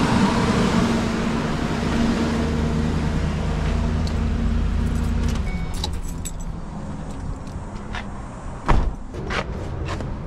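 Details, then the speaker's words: 2010 Ford E250 after fixing its no crank, no start, no fuel fault (starter signal wire harness repaired, cut fuel pump relay ground temporarily run to battery negative): steady, even low drone, running normally, before clatter and key noises. "oh man I love you good job boy it runs now guess what the problem was all that wiring"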